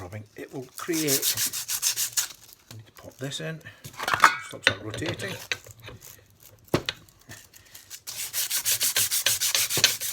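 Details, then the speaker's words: Polishing a part from a 1973/74 Yamaha XS 500 in a vise with abrasive and light lubricating oil: rough back-and-forth rasping strokes, about two a second, harsh and scratchy; abrasive running dry, needs more oil. "see that sounds all dry and horrible doesn't it to keep going like this and as long as i keep getting enough of that oil you can see it's turning into a paste already"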